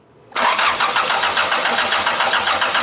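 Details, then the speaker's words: OBD2A car, crank sensor bypassed, getting fuel: starter turns the engine over in even, rhythmic beats, roughly six a second, during a compression test, never catching; cranks but no spark. "car cranks over but just no spark"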